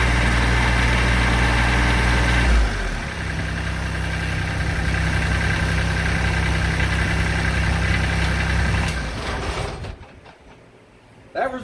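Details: 2006 Kubota BX23D tractor, D905 three-cylinder diesel, restarted after valve adjustment and valve cover leak check: settles into an even, steady idle with a regular beat, no knocks or misses, then shuts down; healthy.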